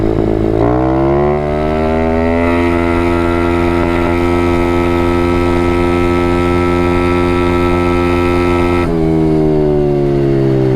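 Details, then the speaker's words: Apollo 125 RFZ small motorcycle engine revved hard and held near its limit for several seconds, demonstrating the over-revving inexperienced riders did; owner suspects the motor is worn out; engine over-revving. "that's over revving when you over rev you risk blowing your motor apart"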